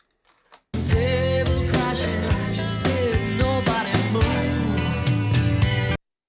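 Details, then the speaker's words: Early-90s Sherwood DD-3010C double cassette deck, deck 2 playing: recorded rock music has good frequency response but slow, uneven pitch wobble on held notes, heavy wow and flutter. "okay well frequency response is good but I can hear quite a bit of well and flutter in there the music sort of sounds a bit wobbly"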